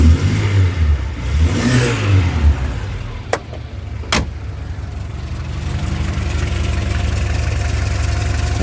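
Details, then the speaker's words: Skoda 120 (Rover K-series engine) idling after oil change; old oil was diluted with fuel; steady, even low idle, no tapping or ticking, much less tappety than before. "wow that sounds so much less tippity ta yeah the old oil it been in there for a while it been uh dileted with fuel"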